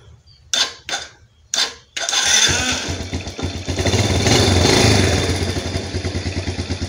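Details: Old Yamaha Vega R motorcycle with ignition cutting out and dying while riding: with black-white key switch wire disconnected, a few short starter attempts, then engine catches and holds even idle; faulty ignition switch killing ignition.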